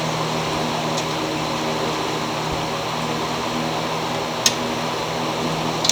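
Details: Craftsman mower with a Honda engine that surged before; cleaning the carburetor didn't fix it. After fitting a new carburetor it holds a steady, even drone with no surging and runs like new. Owner suspects an unbalanced blade causes vibration.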